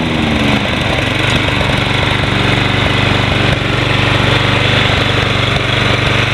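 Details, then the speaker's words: Toro Personal Pace 20333 Spin Stop mower, 190cc Briggs & Stratton, sold as non-running, started after cleanup, blade engaged: steady, even single-cylinder beat at constant speed, no misses or knocks; healthy running. "There we go. Engage the blade here. Sounds good."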